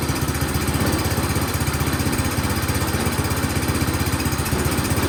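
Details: Toro PowerMax 7240E snowblower, sat 4–5 years with old gas, after carburetor work and reassembly; steady fast single-cylinder putter, about four beats a second, even with no misses: running healthy.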